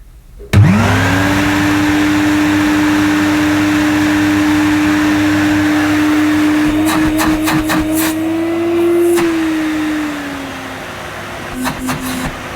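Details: Mid-1990s (c.1994) Hoover Aquajet S4488, motor only, pump off: spins up in under a second to a steady smooth mid hum with handling clicks; motor healthy, power dial feels dodgy, possibly clogged.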